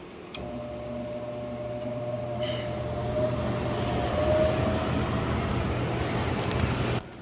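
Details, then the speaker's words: Gas furnace with a pressure switch no-heat fault, inducer motor starting: clean start settling into a steady, even hum and smooth whir, no rattle or scrape; running normally. "So right now the inducer motor is kicking on. Pressure switch should turn on right now."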